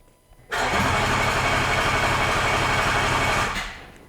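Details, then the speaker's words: Range Rover L405 3.0 TDV6 diesel, first start attempts after engine rebuild: catches and runs rough for about three seconds, then cuts out; later traced to a faulty trigger wheel, and a new genuine trigger wheel gave a rough ignition. "Okay, so the car turns on and then turns off. Did you remove the auto start stop? Is that what? No. But it's trying for louder, for longer, Much longer. and it turns off."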